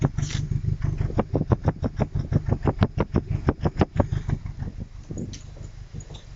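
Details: MX5 Mk3 at idle: deep, uneven pulsing of about three lumpy beats a second that wander in strength, a rough idle with cause unclear.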